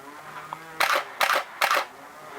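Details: Canon 6D Mark I after DIY front control dial repair: three crisp, evenly spaced shutter clacks with clean mirror slap and return; shutter fires normally.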